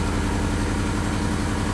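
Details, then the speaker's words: Lexus LS400, owner thinks 1997, restarted: low, even firing at a steady idle, no longer revving wildly or hunting; it later starts revving up again and smokes a little. "Oh, surprisingly it started up and it's not revving like crazy anymore."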